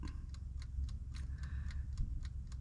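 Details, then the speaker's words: Camper van after power station ran dead: steady light ticks about four a second, no heater hum; only the cooker's timer runs, heating element dead because the power supply is depleted. "you hear that ticking it's just the timer the heating element doesn't work because the power's dead"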